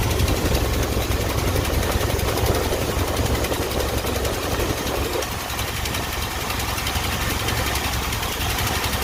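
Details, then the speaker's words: Early-1980s Ford F-150, warm, with a dull, slightly uneven idle rumble and no crisp bark. The ignition timing reads about top dead center against the usual 10 degrees, so it is too retarded and needs advancing at the distributor. "as you can see our timing is apparently at right at top dead center i need to tweak this thing a little bit i need to advance this thing a little bit"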